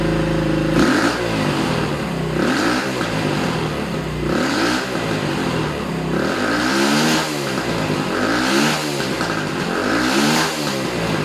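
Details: Small Racer motorcycle after repair revving in regular blips, pulling cleanly with no coughing or stumbling. It had sneezed and wouldn't ride. Fixes: air filter washed and oiled, loose carburetor main jet and emulsion tube refitted, carburetor cleaned. Normal running.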